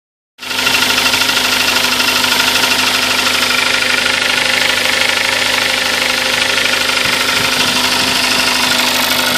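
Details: Kia Sportage at 42,000 km: steady idle with a fast, ticking knock riding on top of the engine noise; engine knock, cause unknown.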